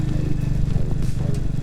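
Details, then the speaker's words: Old childhood motorcycle being ridden with a poorly adjusted, dragging clutch: low engine drone under load with irregular slapping rattles from the rear chain, a slack drive chain after the tensioner came off. "My respects, oh [ __ ] listen to us, something's wrong with the chain, I don't know what, but something is clearly happening with it."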